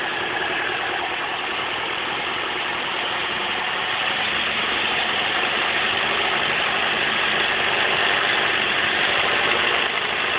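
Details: 2004 Chevrolet Cavalier 2.2 Ecotec at idle: a busy metallic rattle pulses about four times a second, suspected timing chain rattle.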